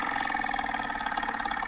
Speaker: yeah it's that's a dying blower motor okay at the end of its life huh so was the the fan the blower motor cage actually broken in that case no huh wow it was probably a super old and yes probably rattling around a little bit and that's a noisy that's a noisy blower motor